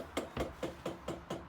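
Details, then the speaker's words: Diesel heater being installed on ex-army Leyland DAF T244 truck: sharp, even ticks about four per second from the dosing pump as it primes and diesel comes through the line. Normal fuel pump ticking. "pump is priming, you can see diesel coming through there."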